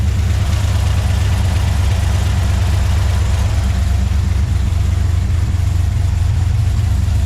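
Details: 2013 Chevrolet Silverado (GMT900) after 6.2 L V8 swap and fresh tune, just after first start: steady deep cammed idle rumble, no misses, knocks or ticks; about 45 psi oil pressure at idle, no leaks.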